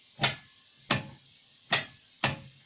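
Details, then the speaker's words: Invacar with a Dynastart unit, first start attempt after 14 years in a field, battery at 13 volts: four sharp solenoid clicks and no cranking. The solenoid operates but the starter doesn't engage; owner suspects it needs a smack with a hammer. "so that sounds like the starter need to smack the starter ease in here there's a diner start unit and I don't know how you do that normally would that say and it sounds like the solenoid is actually operating on the starter but it's not engaging"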